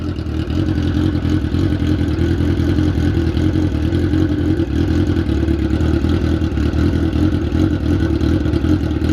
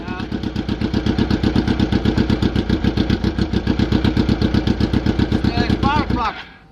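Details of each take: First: 2003-2004 Suzuki GSX-R 1000cc after 5 hours underwater in a lake, spark plugs changed: strong, even revving, steady throaty drone, no misfire or knocks; now running on all four cylinders. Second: 2003-2004 Suzuki GSX-R 1000cc first start after 5 hours sunk, oils and gas changed, spark plugs left loose: lumpy, stumbling idle running on only three cylinders, one cylinder misfiring.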